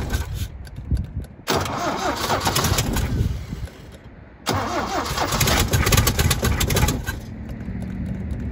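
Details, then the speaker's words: 1972 Toyota Celica 18RC, first start in 26 years with the rebuilt original carburetor, cold day around 30–41°F: cranks, catches, dies, then restarts at high idle with an uneven tapping knock. Possible rod knock, expected to clean up; unconfirmed. "that was kind of a little bit scary but that wasn't a rod knock was it uh it might be a little bit of a rod knock but it should clean up right"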